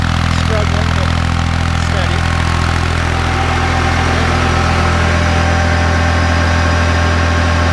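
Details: Kubota B7100 tractor driving a NorthStar PTO generator at about 4000 W (roughly eight horsepower): steady, even diesel drone at constant speed, no knocks or misses under load; healthy.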